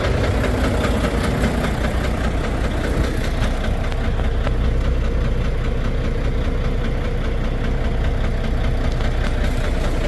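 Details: Volvo D13 diesel engine idling roughly with an uneven knocking beat: misfire and low power from damaged, worn fuel injectors.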